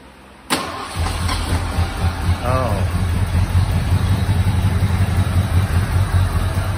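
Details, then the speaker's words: 1986 Ford F-150 V8, first start after 15 years sitting, new fuel pump, old gas: catches and settles to steady even idle, low throaty rumble through small exhaust pipes, no knocks or misses; oil pressure up; normal idle. "i said it's probably low on power steering flood oil pressure up yeah doesn't sound too bad"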